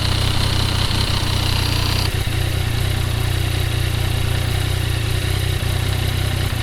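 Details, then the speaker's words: 2015 Yamaha FJ-09 three-cylinder CP3 engine idling with loose, uneven clunking from the clutch, caused by soft cushions in the clutch basket compressing with wear; before repair. "This noise is caused by clutch cushions inside the clutch basket compressing over wear."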